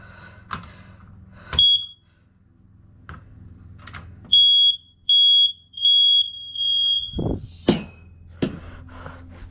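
A smoke alarm gives a loud high-pitched beep, then a run of four steady beeps, sounding normally on test.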